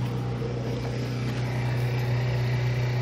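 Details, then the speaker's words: Old Whirlpool-built washer, picked up off the street, draining on the rinse setting; the drain pump gives a steady low hum of even pitch with no grinding or rattle, normal drain pump operation. "let's see rinse rinse where's drain and rinse rinse oh there we go you guys can hear there she goes there she goes she's draining in rinse she works"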